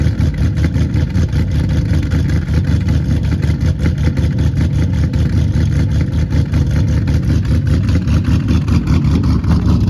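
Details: 2009 Pontiac G8 GT 6.0 LS V8 cold start at about 40°F, rebuilt after DOD lifter failure with LS7 lifters, BTR Red Hot cam, Kooks long tubes, near-straight pipes, tuned: loud choppy lope, fast cold idle, no tick or knock; healthy.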